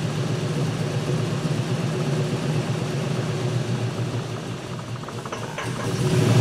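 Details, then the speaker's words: 2004 Dodge Ram 5.7 Hemi V8 misfiring, towed in as a no-start; runs lumpy and sags toward stalling as the throttle closes and manifold vacuum drops, then is revved back up; EGR valve suspected stuck open. "however I can't let it idle because as soon as I start letting my foot off the throttle here we start losing manifold vacuum and the truck wants to stall"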